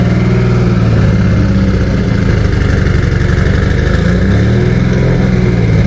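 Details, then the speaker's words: Freshly built 2JZ engine at first start-up: steady, noticeably high idle with no knocks or misses; a vacuum leak or a sensor not reading correctly is suspected. "it was revving a little high we're contemplating a possible vacuum leak or maybe a sensor not reading correctly"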